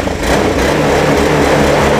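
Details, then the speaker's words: A Honda Beat fuel-injected scooter still sputtered after an ECU replacement. With fuel pressure around 40 on a gauge, it starts straight away and settles into a steady, even beat with no stumbling or misfire. "oh ya sulit Ini motor udah langsung"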